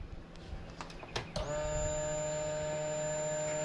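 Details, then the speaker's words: 2007 Yamaha Grizzly ATV that cranked but would not start. A newly replaced fuel pump, run briefly with no gas in the tank, gives a few clicks then a clean two-second electric whine. It primes normally. The old pump was suspected seized by ethanol gas. "There it is right there. Fuel pump's working fine."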